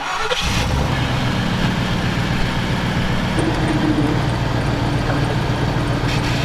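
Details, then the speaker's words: Steady engine idle while the steering wheel is turned back and forth after repair; previous popping is gone, though frame still needs reinforcing. "good news hillbilly got the popping to go away"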